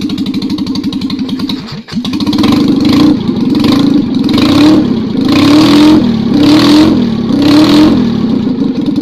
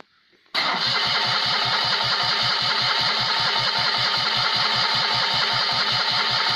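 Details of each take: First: Citroën 2CV engine rebuilt as 652cc conversion, Solex twin-choke rejetted, 123 ignition fitted, first start with no exhaust, not cold; loud, even, rasping beat rising and falling cleanly through throttle blips, runs and revs healthily. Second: Rebuilt Citroën 2CV engine (652cc conversion, Solex twin-choke carb rejetted) on first start with no exhaust fitted: the starter spins evenly, about four compressions a second, for six seconds without catching; the owner suspects an empty float bowl.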